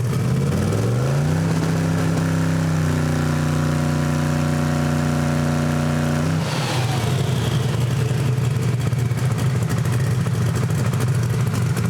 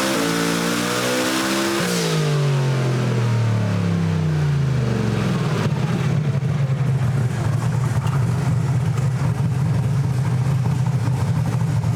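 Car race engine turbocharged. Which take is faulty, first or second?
first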